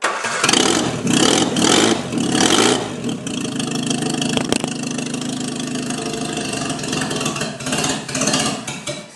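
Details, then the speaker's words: Whitby Morrison ice cream van, newly fitted replacement engine with exhaust not yet connected: a few cranking bursts, then fires and runs loud and raw through the open manifold, steady and even; healthy. "What we need to do is connect that exhaust up before we get the maximum effect of sweet running engine. Need a bit of back pressure."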